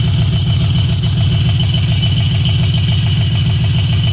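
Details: LQ4 V8 at idle with a steady rhythmic knock, roughly two a second, riding on the exhaust rumble.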